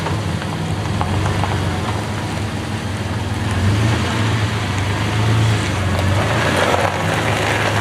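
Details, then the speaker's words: 1996 Dodge Dakota 3.9L V6 with new fan clutch on road test in cold weather: even engine drone with road hiss, no roaring fan; fan clutch slips and freewheels normally since cooling isn't needed. "All right, so you just heard right there, the fan clutch slipped, and it should, because it's cold outside. It should not be on right now, it is not needed."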